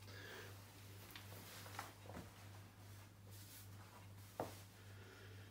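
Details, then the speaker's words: Indesit IWDE124UK washer dryer, over 7 years old: relay clicks over mains hum on spin but no motor whir or drum rotation; motor windings ruled out. Worn motor brushes. "can hear the relay triggering but that's the rotation the drum nothing so that's related to remote or issue effectively"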